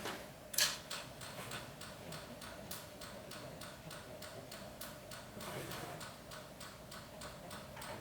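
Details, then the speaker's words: NSG 438 ESD test gun doing ISO 10605 contact discharge at 8 kV, doubled from 4 kV, on an automotive device: sharp evenly spaced clicks about three per second; gun firing normally, device unaffected, meeting performance criterion A. "There's nothing happening. I'm just making noises to make it exciting. But really the device is handling 8 kilovolt just as good as it did 4 kilovolt."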